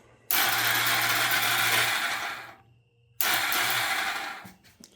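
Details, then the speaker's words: 2000 Honda Rancher ATV left sitting outside, first crank on temporary battery hookup: two bursts of high, free whirring with no compression pulses; starter spins but engine doesn't turn, suspected starter drive gear fault behind the rear engine cover. "Well, starter's turning over, but the engine's not."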